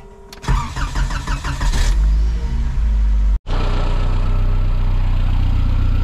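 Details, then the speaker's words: Škoda 130 turbo with modified turbo and exhaust. Brief crank, then it catches cleanly and settles into a steady, even idle with no misfire; normal start and idle. "Takže motor beží počutý. Na týchto dento sviečkach to aj dobre spaľuje."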